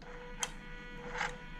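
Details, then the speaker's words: Toyota 1UZ VVTi V8 (UCF20) being prepared for fitting, with the ECU immobilizer removed, engine off and a fault code present. A faint steady electric hum with light clicks comes from the throttle body motor as it operates. "we've got a little bit of short floral code when you actually hear it if you can hear the throttle actually hum a little bit"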